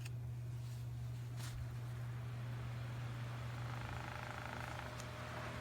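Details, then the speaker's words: 110-volt electric fan motor after cleaning and oiling to cure slowing: smooth, even low hum with steady pitch, spinning freely and working well; slight shake and rattle possibly from a slightly off fan blade. "Yeah, it's working. Can you hear it? Other than the rattling? Seems to be working good."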